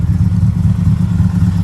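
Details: Stock EJ25 Subaru Forester (800 whp, rotated Precision 6870 turbo) running after throwing a rod, oil light on: heavy rough low clatter under loud uneven running with no clean beat; a broken connecting rod has punched a hole in the block.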